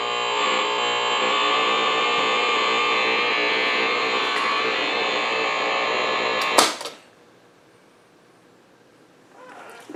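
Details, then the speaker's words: Blaupunkt Florenz shortwave/AM/FM radio, probably 1960s, with broken dial strings; steady putt-putt pulsing about four beats a second through the speaker until switch-off, motorboating. Owner suspects a capacitor or bad connection; cause not yet known. "I'm gonna have to pull the chassis out maybe even the speaker's not an easy job might be just a capacitor to diss causing motorboating even a bad connection"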